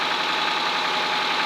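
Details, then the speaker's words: Toyota Camry SV35 at idle, hot or cold: steady idle with a light, fast tick under the engine hum; owner suspects valves, unconfirmed; oil light stays on 10 seconds at start after oil change. "Холостые, на горячую, на холодную стучит как бы, не стук, не клинит, ничего, просто что как будто клапана."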